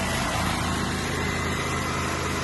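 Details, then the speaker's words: 3000 W petrol generator, sat a year with stale fuel, after draining fuel and cleaning clogged filters: steady, even high-speed buzz at full speed under governor, no misses or surging; generating electricity, healthy normal running. "and our generator is generating electricity."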